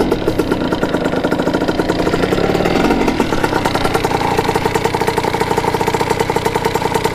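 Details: Kawasaki KX80 two-stroke with KX100 99cc big-bore cylinder, warming up after new head gasket and fixed-up head, coolant leak thought to be cured; quick, even crackle at steady idle with no misses or knocks, healthy; owner says it runs really crispy.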